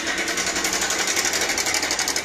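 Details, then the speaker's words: Bajaj Pulsar 150cc motorcycle at idle: loud rapid metallic clatter, so bad it sounds like the engine will come apart; mechanic says a faulty timing chain adjuster (tensioner) causes this; timing chain rattle. "देखिए दोस्तों इस account कैसी आ रही है कि ऐसा लग रहा है कि इंजन खुल के अभी बाहर आ जाएगा ना हुआ है हेलो दोस्तों बड़ी गंदी साउंड है यह"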